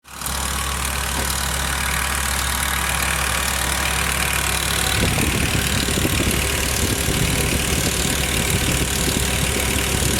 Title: E60 M5 S85 ticking noise